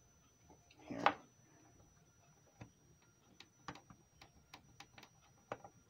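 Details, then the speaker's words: Electric radiator space heater power cord plug that got very hot and soft at the socket: sharp, irregular clicks and pops as the plug is flexed, from loose terminals with excessive play. "hear that clicking noise that should not be making that popping noise you can feel it with your fingers you should not have excessive play it should be tight like this one right here"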